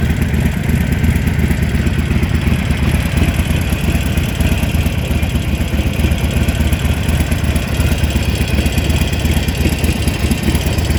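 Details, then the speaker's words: Harley-Davidson 883 Evolution at idle: lumpy V-twin idle with a light, fast clicking on top, from play between the rocker shaft pin and its bolt; harmless. "Mostrar para vocês uma curiosidade sobre é algumas Harley que fazem um barulho de cleque cleque, né? Não são todas. Eu fui sorteado, a minha faz um cleque clequ e eu vou demonstrar para vocês o que que ocorre e as considerações sobre o assunto."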